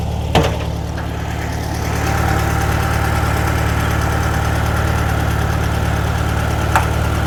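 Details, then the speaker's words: 1957/58 VW Beetle after the owner hit a curb: steady, low air-cooled idle with two sharp isolated ticks several seconds apart. Intermittent rattle, possibly in the rear, not on suspension or rebound; source not found. "You don't hear it on suspension or rebound. Rebound. The noise doesn't sound to be as bad. It's just random when it wants to do it, it seems like."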